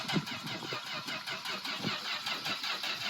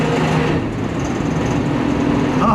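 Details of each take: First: Plymouth Valiant slant six running with oil replaced by 100% Dawn soap: starts and settles into a steady, even idle with regular exhaust pulses, no knocks or ticks; sounds no different from normal. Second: Slant-six petrol engine run with its oil replaced entirely by Dawn soap, running rough with a faint light knock under a steady hum, the knock growing worse when driven.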